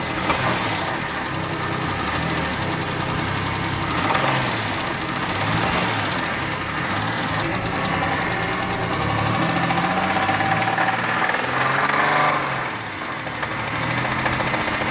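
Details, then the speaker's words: 2008 Chevy Uplander petrol engine revved lightly, rough uneven knock/clunk under running note; owner unsure whether engine bearing, rod or timing belt. Cause not confirmed. "Here we have a 2008 Chevy Uplander with an engine knock. We'll rev it up a little bit."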